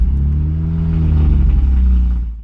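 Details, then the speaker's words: BMW 135i after ECU MOSFET repair and clearing stored faults: engine wanders and stumbles unevenly at idle, pitch never settling, then dies; rough erratic running, cause still unknown. "Much to my despair, we still had an issue even after clearing the fault stored in the ECU. This car is not running right at all, as you can probably hear."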